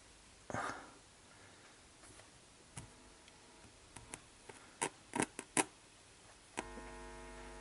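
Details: Yamaha CR-400 stereo receiver: touching the volume control brings a steady low mains hum and scratching, only partly helped by contact spray. The pot housing is ungrounded, and bridging it to a good ground with alligator clips eliminated the hum.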